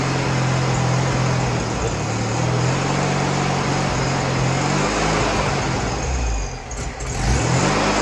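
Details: Freshly rebuilt VW 1641cc dual-port air-cooled flat-four on the floor, first start: pulls up and settles smoothly through revs, no ticking, tapping, knocking or smoke; new pistons, rings, reconditioned head, redone carburetor; fuel pump found bad.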